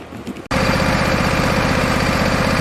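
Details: Husqvarna 2246LS V-twin mower with one cylinder misfiring, running with the blower housing off after a cut, air-sucking fuel line was replaced: catches and runs with a steady chuffing beat but slightly uneven pulse; engine misfire.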